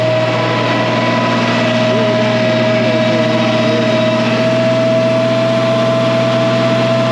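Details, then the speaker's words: 1966 IH 1206 Wheatland standard diesel tractor after head gasket failure and rebuilt head, on a dyno for break-in while warming up: wide open throttle at partial load gives a steady, even drone with constant high tone and no knocks or misses. Normal running under load. "we're just going to listen to this here in home and kind of watch gauges that's wide open partial load"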